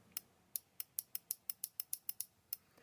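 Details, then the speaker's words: Relay coil energized at about 19 V from batteries in series, current through an internal resistor and the solenoid; about a dozen crisp, sharp clicks over 2.5 seconds as the switch pulls in and drops out cleanly; normal relay operation. "The resistor, which is just inside there, and it also goes through this solenoid. You can see that's operating the switch,"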